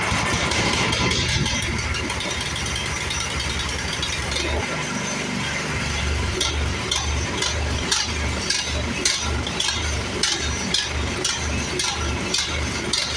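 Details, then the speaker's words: Toro PowerMax 1028 OHXE snow blower engine: speed drifts down and back up instead of holding steady idle; governor spring seen broken and suspected, otherwise carburetor cleaning planned. "so you can hear the surge how it's going up and down up and down up and down um I believe it's going to be that governor spring but we're going to replace that"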